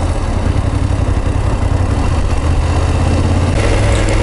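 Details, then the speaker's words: BMW F850GS twin at idle after Motorrad dealer check: deep, even idle with light, loose ticking; dealer says this tapping is normal valvetrain noise, bring it back if it gets louder when stopped. "まあ正常なんでしょうけど、こうやって止まった時にカタカタ音がもっと大きくなるようだったらすぐ持ってきてくださいって言ってたけどね、これはこの今のカタカタ音は正常だらしいです。"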